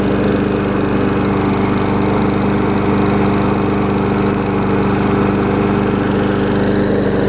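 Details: Old Murray 22-inch push mower, transplanted ~3.5 hp Briggs & Stratton, revived after years unused with new muffler: even single-cylinder drone at constant governed speed, no misses or surging; running cleanly.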